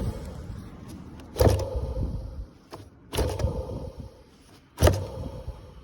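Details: Removed AC blower fan motor from a Honda Freed Spike Hybrid, bench-tested on direct battery voltage: a dull rough buzzing thump-and-scrape repeats about every 1.7 seconds. The noise was heard whenever the fan ran, so the motor was replaced.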